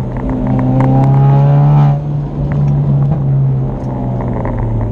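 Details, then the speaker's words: Highly modified 2016 Camaro 2.0 Turbo on a drive: revs then drops off with sharp pops and crackles from the exhaust as the throttle closes; backfiring on deceleration that the owner blames on added parts making it run rich. "Running pretty rich with a couple parts we put on. It's making the car run rich, so yeah, just backfires there all the time."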